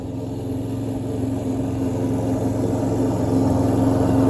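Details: Troy-Bilt self-propelled lawn mower, after a needle seat fix and months of sitting, mowing grass: steady, even engine beat with no bogging, hesitation or struggle as load builds; running healthy under load.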